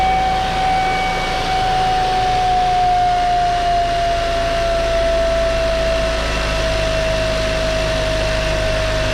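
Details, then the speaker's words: 2015 Kia Optima SXL 2.0L turbo four-cylinder: steady high whistle near 700 Hz over a low engine note, sliding slightly lower then holding. It occurs on cold start and above 2500–3000 rpm, caused by a boost leak from blown intercooler bottom welds. "all right so when i cold start my car or i'm driving it and it revs over 2500 to 3000 rpms my turbo will make this whining whistle sound"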